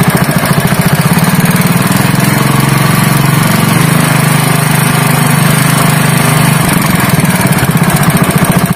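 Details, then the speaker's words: Honda GX160 5.5 hp single-cylinder engine, previously pulling as if it had no compression, runs after a valve clearance adjustment (IN 0.15 mm, EX 0.20 mm): a loud, steady thump at constant speed with even firing and no misses or knocks, healthy. "वह परिणाम नहीं है, दोस्तों, इंजन वापस सामान्य हो गया है"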